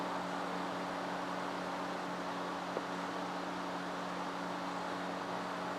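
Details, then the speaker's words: Cheap Chinese bench power supply for CB radio, powered on: constant airy rush over steady low hum; its cooling fan runs louder than it should. "now I did notice that the fan is quite noisy I don't know if you can hear that in the video"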